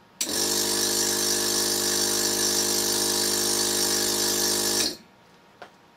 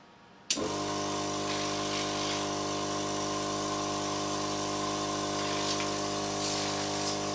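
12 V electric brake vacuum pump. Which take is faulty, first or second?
first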